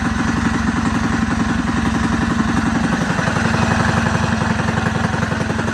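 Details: Rebuilt Predator 224 single-cylinder engine with new piston and rod, aluminum flywheel, advanced timing key and PWK carb: steady fast idle about four beats a second, firing evenly with no knocks; runs fine.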